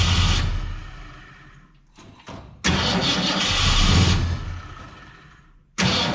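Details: 1967 Ford Fairlane, not run in 7 years: engine catches and revs briefly, dies, then retries in bursts with gaps. Won't stay running; owner unsure whether it is fuel, carburetor needs a rebuild, and he plans to check the valves.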